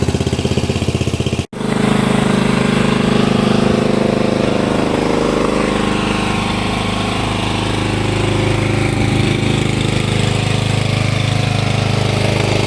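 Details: Hayter Heritage ride-on tractor mower, unrun for eight years in a shed, with new-looking spark plug and clean oil: after a brief cut the engine catches and settles into a steady, even, strong run with no misses or knocks; healthy running.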